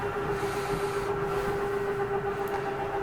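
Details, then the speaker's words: Jayco Eagle HT 29.5BHDS RV, slide two being retracted: steady, firm mid-pitched slide-out motor hum; the grinding noise is normal, the slide protecting itself from over-sliding, and the slide tips back then levels once in. Normal slide-out motor operation. "and i also just wanted you to know that when you hear that grinding noise is okay you're not grinding anything that's just how the slide protects yourself from over sliding"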